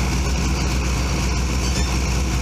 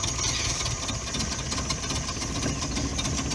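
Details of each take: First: Subaru run with the radiator cap off to check for head gasket trouble; choke won't stay out: low, even idle with a steady beat and no misses, knocks or hissing, showing no sign of head gasket trouble. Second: Subaru Brumby 1.8 litre boxer, cold, barely run recently: low, lumpy idle with uneven beat that dips and wavers as the engine fights to keep running; rough cold idle.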